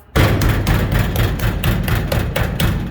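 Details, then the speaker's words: LS-swapped 1985 Chevy C10 with an unsecured bed: repeated hollow metallic clunks about twice a second as the panel is shaken by hand, the same rattle heard over bumps while driving; loose truck bed rattle. "You can hear that annoying little rattle. That is exactly, oh, nice little nest there. That's great. That's exactly what I hear as I hit bumps going down the road, which kind of sucks."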